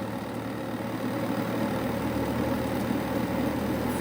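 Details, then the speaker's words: Carrier Infinity 58MVC080 furnace, flood-damaged, after gas valve replacement, variable-speed inducer previously failed and replaced, switched to heat: steady even inducer hum, no rattle or wobble, spins up smoothly, then pressure switch click; normal inducer motor operation. "So the inducer motor started, as I seen before, which was the inducer motor failed before, and you will hear another click"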